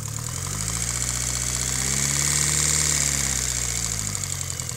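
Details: Mitsubishi Evo 8 at idle: a quick, light tick about four per second riding over the idle and following revs; owner suspects lifter tick, unconfirmed.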